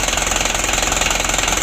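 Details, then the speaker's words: 2016 Hino Dutro 130 HD diesel, hard starting and unsteady idle, Bosch pump plunger adjustment bottomed out: harsh rapid knocking over rough idle with hard clatter and heavy smoke; engine badly worn. "Ini asap nih lor, ngapusnya sudah lumayan parah."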